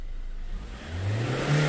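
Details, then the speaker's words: 2016 Ford Ranger MC diesel, code P0184, after replacing faulty fuel temperature sensor: smooth quick climb to 4,000-5,000 rpm with little throttle, versus only about 2,000 rpm at full throttle before; normal free revving. "เนี่ยปาไป4,000เนี่ยปาไป4-5,000รอบแล้วเห็นมั้ยเห็นความแตกต่างมั้ยระหว่างก่อนเปลี่ยนเซ็นเซอร์กับหลังเปลี่ยนเซ็นเซอร์"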